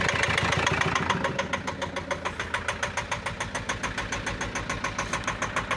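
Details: Renault Master 2 2.5 diesel at idle with black smoke; a hard, regular knock at roughly three and a half per second rides over the idle, cause unclear: engine knock.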